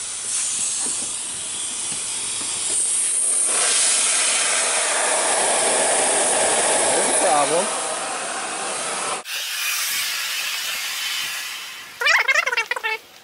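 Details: Homemade intercooler pressure tester on welded intercooler piping, fed from an air compressor; loud steady hiss of escaping air for about nine seconds, then drops away as the tester coupler slides off; compressed air leak.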